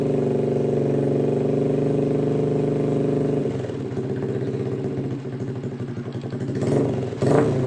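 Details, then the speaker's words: Honda Blade motorcycle after tracing an electrical short in the wiring: steady, even single-cylinder putter with a smooth low note and no misses or knocks, then a light throttle blip; idles normally and all electrics work. "Oke Mantap ya udah hidup semua"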